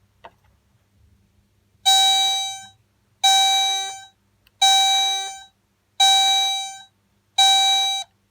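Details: Chevrolet Lanos warning buzzer after repair: five clean, evenly spaced electronic chimes about every second and a half; the buzzer works properly.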